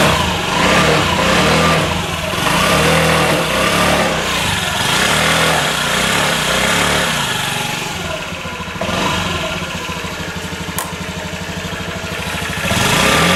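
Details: Honda Ruckus after a tune-up, with carburetor bores and a gunked throttle slide cleaned; the small single catches and blips up and down cleanly, returning each time to a steady idle with no stumble, running normally.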